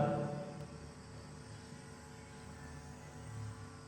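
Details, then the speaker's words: Live PA with microphone open, signal fed through an FBX Z-Z anti-feedback unit into the mixer: only a low steady hum and no feedback howl at this distance, showing the unit suppresses feedback well. "ไม่หอนครับไม่หอนนะครับอยู่ระยะนี้ไม่หอนก็ถือว่าป้องกันได้ดีนะครับ"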